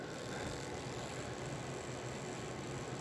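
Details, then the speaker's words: Chassis with ball-bearing axles after oiling a dry bushing: soft, even, quiet whirr at low voltage, about 1.9 V and 0.75 A with linkage, no squeak or rasp; running normally. "There was a bushing in there that didn't have any oil on it, and I got taken care of that. So as you can hear, it's pretty okay, pretty quiet."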